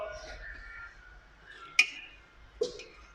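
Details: Renault Megane 2, chronic knocking from the front at the steering rack as the wheel is turned: two sharp dry clicks a second apart in a quiet car; worn steering rack bushing, replaced with a new one.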